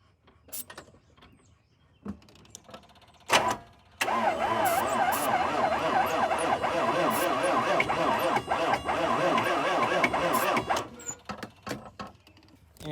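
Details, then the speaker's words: 1995 Chevy 6.5 diesel pickup with batteries swapped (one read 10 volts) and ether sprayed in: sluggish, labouring crank about three turns a second for several seconds with no catch; dead battery. "that is a failed attempt because I forgot this battery right here is dead I need to charge that"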